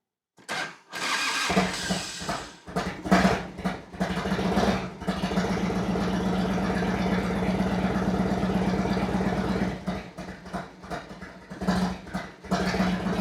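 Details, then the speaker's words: 1991 Harley-Davidson FLHTCU, long-stored, on battery charger, mic about 5 ft away: absolute cold start without choke fires within a second, settles to steady loping V-twin idle with a few throttle blips. Healthy cold start. "That's her. We are like 5 ft away from it, I guess. And that's the sound. I got three three bikes and all three of them sound totally different."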